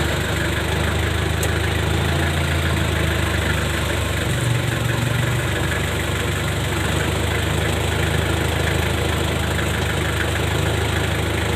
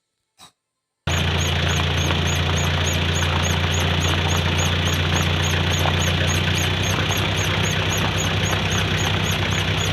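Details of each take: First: A pickup that had underbody noise when pulling away in first gear now has a steady, even low hum with no knocks or clunks. This follows replacing the worn propshaft center bearing and U-joint. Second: Pickup truck pulling away in first gear: fast, regular high chirp, three or four a second, over low drivetrain drone, from under the car along the centre propeller shaft, middle to rear; dry seized universal joint squeak.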